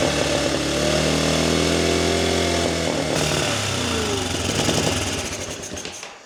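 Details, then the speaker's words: 1985 Honda Elite scooter after refitting fuel lines, fuel filter not yet filled: small engine stumbles unevenly for a few seconds, then fades and dies; fuel leaking from several places, petcock suspected. "it kind of runs but I think it'll very quickly not run again"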